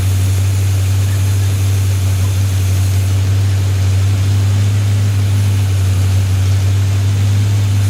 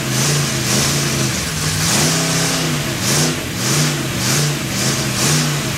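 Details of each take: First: Rebuilt Chevy 283 V8, Sunday morning cold start with the fan on, tuning still needed; deep steady exhaust drone, even beat, no knocks or ticks; runs okay, normal running. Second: Freshly built Chevy 283 V8 first fire-up, unplugged vacuum port: revs rise and sag unevenly under a loud rushing hiss, rough and lean; big vacuum leak, sounded better with a hand over the carburetor.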